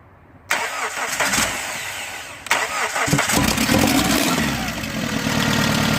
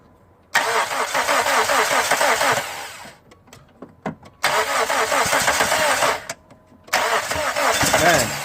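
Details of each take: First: First start of SOHC engine swapped into a Neon after timing set, sensors and injectors swapped, coolant temp sensor not yet connected: starter whirrs, brief stumble, then catches and settles into an even, clean idle. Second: First start of SOHC suicide-swap Neon, timing set, coolant temp sensor not yet connected: three rough cranks and catches with harsh raspy puffing; exhaust leak, and owner suspects his homemade EGR and intake also leak, reducing throttle response.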